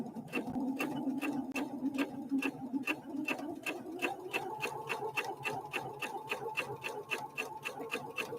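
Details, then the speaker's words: Husqvarna Viking Opal 650 sewing machine (Swedish design, Asian built), LED light off, stitch length 3.0; soft even ticking at about three to four stitches a second over a quiet motor hum, no clanking, heard from beside the machine: healthy, very quiet stitching. "I don't know what you can hear on the camera but sitting right here next to the machine uh it is surprisingly quiet surprisingly quiet machine very very quiet"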